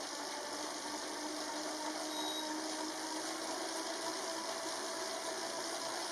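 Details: Elite Drivo trainer recorded on the camera mic with a bike spinning up through 15 and settling at 20 mph. Quiet, smooth whir with a faint hum and light chain chatter, probably mostly from the bike's drivetrain; normal, fairly quiet running.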